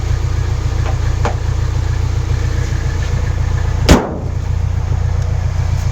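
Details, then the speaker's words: Nissan S14 240SX KA24DE, cold weather, after removing a worn timing chain guide: steady low idle with only faint light rattle, far milder than before; other guide still in place. "I can hear it a bit. I can hear it a bit. But that's not nearly as bad."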